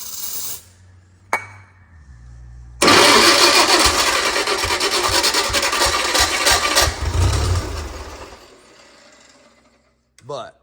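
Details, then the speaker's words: JLG 40G manlift, recorded one-handed: catches after a short crank, runs steady and even for several seconds with a light rattle before shutting off; normal running. "yes it runs well guys"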